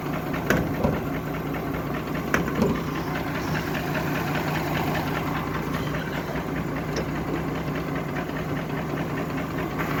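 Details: Mercedes G-Class 104 3.2 L 220 hp petrol engine after an oil change, burnt piston in cylinder one, low compression, melted catalytic converter: uneven, lumpy, shaking idle with a dull knock two or three times a second.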